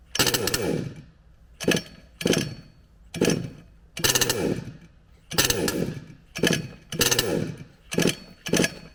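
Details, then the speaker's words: HPI Savage Octane petrol RC car: the engine buzzes in short raspy bursts, each sagging and dying within a second, so it keeps cutting out. Owner suspects spark/ignition rather than the carburetor, unconfirmed. "listen to it the way that it starts and runs and it just boom just falls off a cliff that to me sounds and looks like an ignition problem not a fueling problem"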